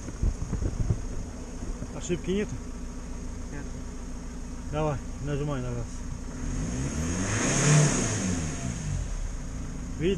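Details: Ford that would not rev past about 4000 rpm, after the very dirty air filter is blown out: engine picks up cleanly when blipped, rising and falling smoothly with no hesitation or misfire; now revs freely.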